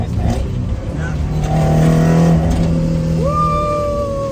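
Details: Toyota AE86 with a four-cylinder (20V), on its first drive since coming off the dyno. A clean, strong engine note climbs steadily through the revs with no stumble, miss or knock; the engine pulls healthily under load.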